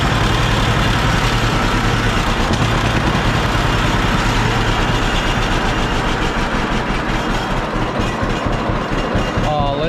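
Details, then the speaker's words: John Deere B two-cylinder tractor after magneto troubles, restarted after flooding and choking, spark plug wires suspected poor: slow, even pop-pop idle firing cleanly with no skipped beats; running healthy, seems fixed. "that thing pop along all right good deal I think we fixed her"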